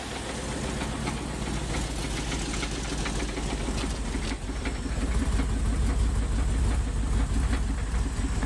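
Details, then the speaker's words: Wood-gas truck with an automixer, low idle on poor-quality wood gas after sitting off for a while: an uneven loping beat near two a second that swells and falters. Rough idle from bad gas. "I think we're heading up for a stretch of some bad gas here so yeah since I'd had the truck off for a while that uh that's where that bad gas came from"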